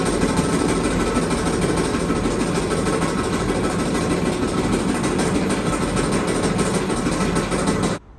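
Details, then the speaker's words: Kenmore Elite dryer model 79691073310 makes a loud, coarse rumble with uneven thumping about three times a second, then cuts off; loud rough running noise, cause not yet found. "Today's project will be on a dryer making a loud noise. So we're going to figure out what the noise is coming from."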